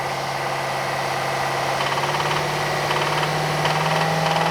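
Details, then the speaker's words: 2012 Subaru Forester, warm engine with oil level and condition good, complaint of a rattle at low revs: steady idle with a dull knock about four times a second that returns when the disconnected cylinder is reconnected, confirming a main bearing knock. "ya entonces esa madre me confirma que la bancada la"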